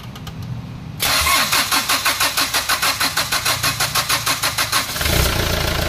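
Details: Hyundai Starex D4CB diesel, previously hard starting, after the four injectors were removed, cleaned and tested: brisk cranking about three beats a second, catches immediately and settles into a steady idle; normal start after injector cleaning.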